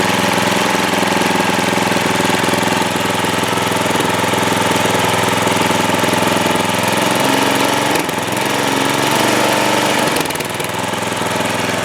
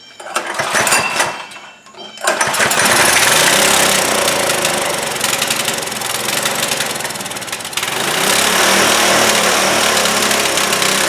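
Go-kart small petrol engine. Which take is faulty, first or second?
second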